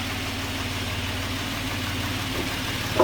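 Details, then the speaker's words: Suzuki Grand Vitara H25A petrol V6 with high oil consumption, idling smoothly after about 15 minutes of running, steady low hum; earlier ticking from hydraulic lifters not yet filled with oil has disappeared, no abnormal noises. "Ну что ж, мы дали поработать двигатель буквально 15 минут. Как вы слышите, двигатель работает без посторонних шумов."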